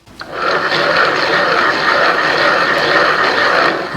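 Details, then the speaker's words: Worn Bosch e-bike mid-drive motor turned by hand: rough, gritty grinding versus a near-silent new motor; needs stripping, overhaul and new bearings. "so what's needed with this motor really is it needs stripping down uh it needs take into bits it needs overhauling it needs brand new bearings"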